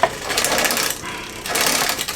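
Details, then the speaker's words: Bicycle on a stand after freeing a tight chain link: light metallic rattling and ticking as the cranks turn, no steady rhythm; drivetrain needs adjustment. "let's see how this sounds like bit of a rattle from"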